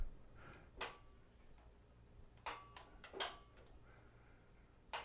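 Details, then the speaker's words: Drive Spitfire Scout four-wheel mobility scooter being reconditioned: a few sharp, isolated clicks as the electromagnetic brake at the rear releases. Normal brake release. "that's the sound of the break at the back yep that's the brake releasing"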